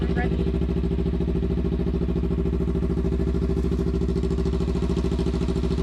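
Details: Motorcycle sitting about eight months after a crash, not winterized, after replacing bad fuel and spark plugs: even, regular twin-cylinder pulses at a settled idle, no misses or stumbles; running properly.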